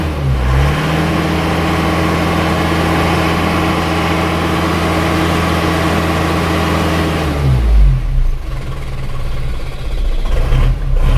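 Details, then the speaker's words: Isuzu Panther diesel, after nozzle setting at 180 and valve adjustment, with injection pump timing still set too far advanced: idles with a hard, rattly clatter on each firing stroke, the sign of over-advanced injection timing. "kalau termaju terlalu maju itu suaranya rangrang gitu Jadi kalau kerang-kerang itu belum maju kebanyakan"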